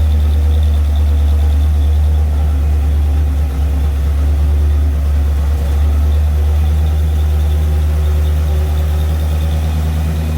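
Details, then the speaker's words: Rebuilt barn-find Mopar 340 V8 on engine dyno during second 10-minute cam break-in run after cooldown: deep steady rumble, no rocker or lifter ticking or clatter. Normal running. "So, we did the breakin. I hope it went well. I don't hear no rocker or lifting noises."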